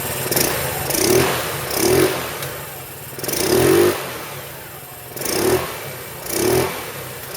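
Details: 2008 Roketa Sicily 150 scooter after a spark plug change: six clean throttle blips with no stumble or pop, revving freely; running really well now, though owner notes it runs slightly lean.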